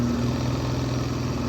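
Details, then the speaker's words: OE two-piece driveshaft for a Ford Transit van, on a balancing machine at about 550 rpm, center bearing running quiet: a heavy, steady droning hum with a hard shaking throb; the shaft is violently out of balance. "I can crank it up a little bit more, but not much because it's violently bad right off the bat."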